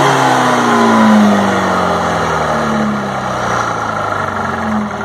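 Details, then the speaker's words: Detroit 4-71 two-stroke diesel from a little-used generator, old fuel oil unchanged: even drone settling to a steady idle with no knocks or misses; smokes a little at low RPM. "the motor looks young sounds young it does smoke a little bit at low rpms"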